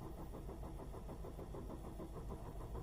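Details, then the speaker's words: Dacia/Renault 0.9 turbo at 155,000 km, cold morning start: the starter churns long, about three beats a second, before firing. The plugs were last changed 50,000 km ago; worn plugs are suspected, and they are being replaced with NGK Laser Iridium. "usually the symptoms that you have is uh you have to crank the car a little bit more than usual uh to make it start so the car doesn't crank immediately and it it cranks a lot and it doesn't start so let's see the engine is cold it's cold in the morning"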